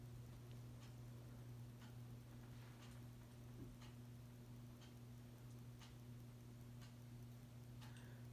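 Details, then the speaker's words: NOMA Aspen ceiling fan on medium: low motor hum with a faint light tick about once a second as it turns; owner suspects bearing noise. "not sure if you people can hear the bearing noise that's coming from it"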